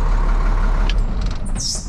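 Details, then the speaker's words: 1998 International 4700 DT466E diesel, just after start following the fix for a missing quarter-inch high-pressure oil pump ferry plug check ball (blamed on electrical issue): deep, even rumble holding steady, short air hiss at the end; running clean; normal idle. "but it it feels like it's running pretty good they told me it was electric issue"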